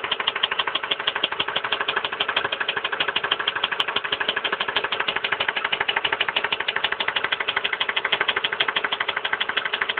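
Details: 1999 Ford Expedition Eddie Bauer 5.4 V8 at idle after a mechanic removed the intake manifold to replace the coolant pipe behind the water pump housing and changed spark plugs: sharp, even tapping about three per second; engine knock, cause not confirmed.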